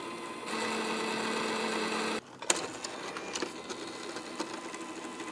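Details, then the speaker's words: PS5 Blu-ray disc drive with the FIFA 22 test disc: it takes the disc and makes the usual whir and hunting clicks but never spins up to read it, even after two replacement lasers; the drive motor controller IC has failed. "Takes the disc. Makes the usual noises. But never actually spins up the disc and reads it."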